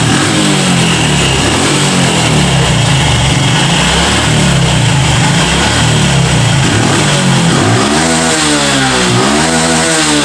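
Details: Honda Revo FI single-cylinder motorcycle, repaired using aluminium foil for a complaint of weak, bogging power at high throttle, idles steadily, then blips up cleanly and drops back without stumbling or hesitation.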